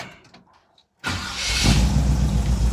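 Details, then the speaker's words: 1963 Chevrolet Impala SS with non-original V8, cold start: starter catches and engine fires at once on the first try, settling into a steady, even idle with no misses; a clean healthy start. "nice started right up"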